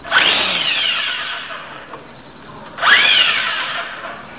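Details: Brushless motor on Aeolean ESC after programming via transmitter, low battery: high whine climbs quickly in pitch as throttle opens, winds down, then a second spin-up; smooth, healthy.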